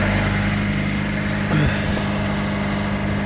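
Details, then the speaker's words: 2000 Honda Civic after replacing the rusted, broken resonator (B) pipe with a new one-piece pipe, heard around the front down pipe. Steady, even idle with smooth low drone, no rattles or puffing leaks. Normal idle after repair. "all right bolted everything on now it's time for the test nice and quiet sweet"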